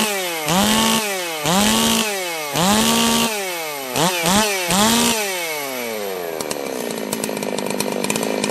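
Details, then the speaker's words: Holzfforma G660 Pro chainsaw, about 15 tanks through it, baffle removed from air filter, timing advanced between 1/8 and 1/4 inch: snaps from idle to screaming high pitch in bursts, then steady cut; normal chainsaw throttle response in cut. "yeah that that woke it right up"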